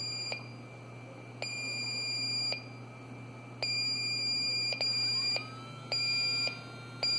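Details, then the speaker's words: Mahle ArcticPro LD-2 electronic A/C leak detector powering on: string of sharp high beeps about a second apart, then small motor winds up, followed by steady ready beep; normal startup. "then you can hear the motor power up and now it just does a steady beep and this indicates that it's ready to go"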